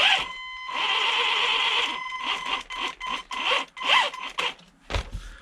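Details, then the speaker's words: HG-101 1/10 budget short course RC truck, electric; harsh raspy whine in bursts rising and falling with throttle, sounds like rubbing; owner suspects steep driveshaft angle or motor mesh too tight, unconfirmed. "let's try this one more time no still not right there's something wrong with this I"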